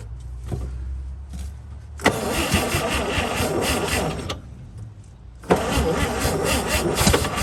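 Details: 1955 Chevy truck inline six, sat about 30 years, previously seized, spark restored: cranks and catches twice with sharp pops, then sputters unevenly and dies; fires but will not keep running.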